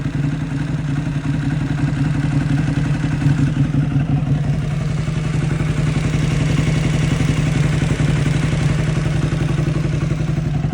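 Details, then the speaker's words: Motorcycle with almost 28k hard miles: a steady engine with a light, fairly regular ticking over its deep exhaust rumble; the noise is new and gets louder every day, and the cause is unknown. "My bike started making this weird noise. It's like a ticking almost."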